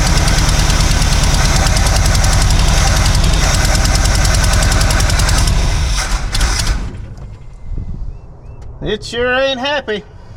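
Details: 1976 Chevy K10, a former mud truck parked about 10 years, at first start. Loud, uneven V8 idle with an irregular knock around three per second before dying away; the ignition timing is suspected to be a little off.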